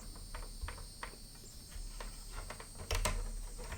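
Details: Sega 32X add-on makes a thin steady high-pitched screech over faint clicks, with any Genesis game; L7 coil replaced but noise remains, cause unknown.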